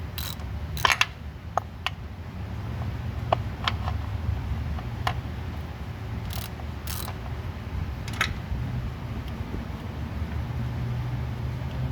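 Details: 2012 Ford F-150 3.5L EcoBoost twin-turbo: irregular sharp clicks over a low drivetrain rumble, heard with the transfer case opened. The differential was checked and is fine; the transfer case is clicking because it has no fluid.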